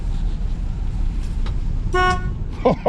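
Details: 1986 Chevy C10, original and sitting for a couple of years, during revival: one clear, steady horn blast about a quarter second long over background noise. The horn works normally.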